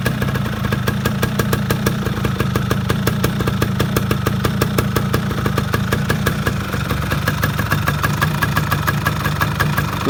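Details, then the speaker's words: Yamaha F1ZR two-stroke motorcycle at the start of restoration, starter possibly weak: idling with a rapid, uneven clatter over a low steady drone; internals sound rough and vibration is felt outside; cause not yet checked. "kalau temen-temen denger di sini ya ini suara di dalamnya agak kasar gitu dan getarnya Kayaknya sampai kerasa keluar"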